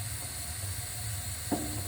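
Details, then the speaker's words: AO Smith 50-gallon gas water heater in an attic, repeatedly throwing fault code 6: steady burner roar and hiss broken by sharp cracks as sediment on the tank bottom pops. "that's a sediment that's on the bottom of the tank"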